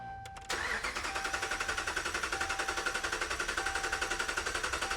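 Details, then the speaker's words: 2013 Ram 1500 compression test, cranking with fuel off: starter spins engine with steady, even pulses about four per second, no weak strokes; reading about 205 psi, said to be very good, possibly raised by variable cam timing. "that's good yeah that that's actually that's actually pretty good"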